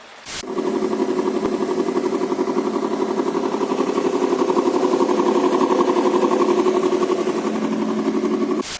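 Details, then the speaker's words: Subaru, engine replaced, ran fine about a month then started knocking after frosts: sharp, regular tapping near four beats a second over idle, steady and even; checked by stethoscope, possibly a poor-quality timing belt tensioner, whole timing assembly replaced. "в общем у меня случилось так что застучал движок я думал с чем это связано вроде только поменял двигатель работал первый месяц нормально"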